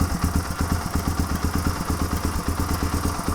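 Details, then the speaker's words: 1997 Suzuki DR350 single-cylinder, Mikuni TM33 carburetor leaking fuel from overflow, engine warmed up: lumpy, fluctuating idle that worsens until it quits; owner suspects rising float level richening the mixture; backfires, dirty float needle valve suspected. "and the reason I think that's happening is the float level is getting higher and higher and higher and making the mixture richer than it should be until it quits"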